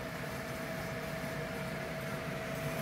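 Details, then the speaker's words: Air-conditioner outdoor unit that had no cooling and iced lines, after troubleshooting and plugging back in: steady, even mid-pitched hum with a smooth condenser fan whoosh, no clicking or buzzing. Fan and system running normally again. "I'm gonna kick it on now see now there we go I hear the fan now problem solved problem solved all right I can hear the fan okay and that's it the whole system is now back on"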